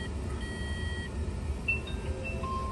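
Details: Smart 453 electric drive: clear intermittent electronic chimes over a steady low cooling-fan rush; the fan runs constantly once the car is unlocked. A brake system malfunction warning is showing, cause unknown.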